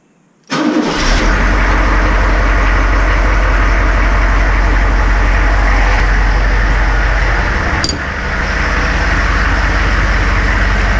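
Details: Military Humvee (HMMWV) diesel, just after replacing the leaking fuel transfer pump, with a cold-start problem reported: quick catch after a short crank, then a steady, even idle with no stumbling or knock. Starts and idles normally.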